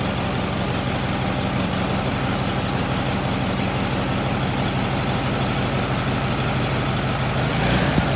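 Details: VW Sunbug air-cooled flat-four, just reinstalled with rebuilt transmission, idling with mechanical oil pressure gauge fitted: steady, even low-pitched idle with a regular beat, no knocks or ticks; healthy.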